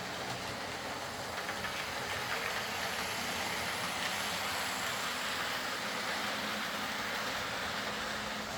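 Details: Old Lima Class 40 model locomotive in BR green, after repair with a completely replaced motorised chassis (original front bogie faulty, wouldn't run): even steady hiss and whirr, no knocks or surging; motor runs quietly, normal smooth running.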